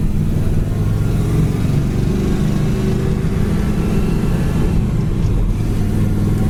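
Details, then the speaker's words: 1966 Chevrolet Chevelle with manual clutch and dual exhaust, driving: deep steady engine rumble with no whine, chirp or grinding; clutch and throwout bearing sound and feel good. "Clutch feels great. Throwout bearing sounds good in it. Clutch feels nice."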